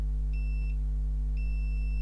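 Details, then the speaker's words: HP Envy 17-j0017TX motherboard with a fault that shuts the charger off when plugged in (no charging, no battery power): over mains hum, a high continuous multimeter continuity tone sounds twice as the probes touch. The part is shorted to ground. "Okay, let's check this dude. Listen for the beep. Is he a short?"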